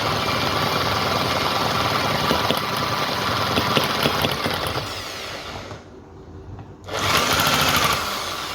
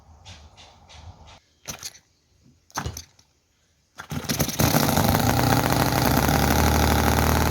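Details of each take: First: Cison FG-VT9 9cc petrol V-twin model engine, hard to start and tune, finally running after choke fiddling; loud fast buzzing with steady firing that dips and recovers as throttle moves, float now working, runs well until fuel starts running out. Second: Chinese model V-twin petrol engine (Cison FG-VT9 9cc or Microcosm R28 4.3cc), oil in crankcase, poor fuel tank: catches after tries, races loud and ragged with popping, leaks oil, won't idle slowly; cause unconfirmed.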